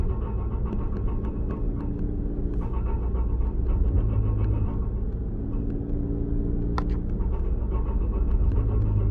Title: Grinding Noise